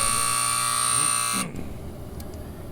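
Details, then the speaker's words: Twin-coil heating system, primary high-limit tripped by lowering the set point from 145 to 143: steady high electronic alarm tone that cuts off after about a second and a half when silenced. Primary high-limit trip alarm. "see what happens when the primary tripped the alarms come on and the alarms can be silenced while you remedy the problem"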